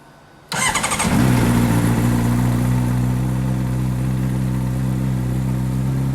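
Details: 2008 Honda CBR600RR after charging system repair, battery 12.2 V, multimeter connected: starter churns briefly, engine catches and settles into a smooth steady idle; charging fixed; normal start and idle.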